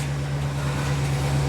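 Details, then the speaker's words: 2008 GMC Savana van at idle after a starter replacement that cured a grinding noise on starting: smooth, even low hum with no grinding or catching; normal idle. "well let's start her up see if the noise is gone ooh no more grinding"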